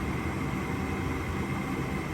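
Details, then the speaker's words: Gas furnace: the inducer motor runs with a steady low hum, but the hot surface igniter never glows, so there is no ignition click or burner whoosh; the technician thinks the igniter is bad. "Si ven ese palito que está ahí, tenía que haber encendido, ponerse rojito, pero al parecer no lo está haciendo. Y ahí paró."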